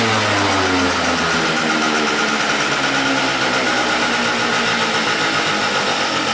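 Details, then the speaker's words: 50cc two-stroke scooter with a lean, no-start complaint: high, buzzy idle with a wavering, strained note, dying after about a minute of running; suspected fuel bowl not refilling, stuck float needle, cause unconfirmed. "all right we're dead and that was about a minute of running so let's try to quickly restart it"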